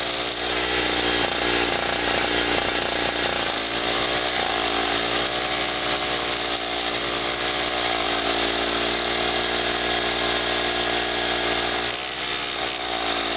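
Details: Generator after its first cold start of 2016, having sat about a year, powering a 40 W bulb and a noisy air pump: a steady, high, buzzy engine note holds even speed with the compressor clattering alongside. Normal running under load.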